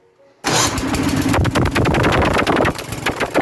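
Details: Troy-Bilt/MTD snow blower with Tecumseh engine, after installing a replacement starter and fitting the safety key: engine catches at once and settles into a steady running beat; clean, normal start.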